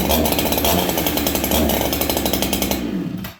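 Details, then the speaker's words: 288 chainsaw started on choke in cold weather (around -10): a high, steady two-stroke buzz held evenly, then cut cleanly; it runs well but slightly lean because of the cold and needs retuning. "You guys can see that one runs good."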